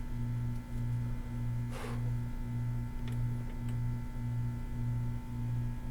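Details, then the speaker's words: Sony PS-LX310BT belt-drive turntable, Goodwill find, set to 33 RPM, 12-inch: steady hum with soft rubbing swell pulsing about 1.5 times a second; drive belt rubbing against something. "This is the belt drive. It looks like the belt's rubbing against something. What the hell?"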